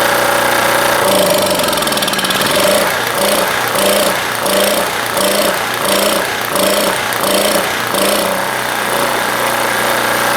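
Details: Small blue Walmart generator, about 15 years old, 110-120 V, started on choke with the air filter off after the fuel flow was checked; it catches and settles into a steady run with a light, even beat and no knocks or misses, sounding healthy.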